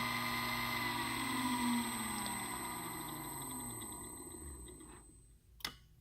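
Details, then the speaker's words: DVT smooth motor with integral brake and drive on a test bench, stopping from 50 Hz: motor whine falls smoothly in pitch as it coasts to a stop, then one sharp click as the brake engages; a normal stop. "then we'll press stop and it will come to a complete stop on the run and the stop I'm going to have you listen for the brake and so you can appreciate what's going on"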